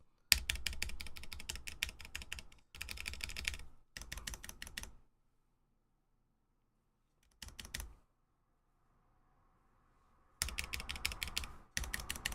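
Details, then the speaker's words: Vanguard 65 keyboard with Cherry Nixie switches and deliberately unlubed stabilizers; bursts of fast typing with a bright, clacky rattle on the longer keys. Unlubricated stabilizer rattle, not the best but consistent across the range. "I did not lube properly because of course, every time I build a keyboard, I just do the unlubed version. That way, we can do the stream again. But as you can hear, oh, let me mute the music. Not the best,"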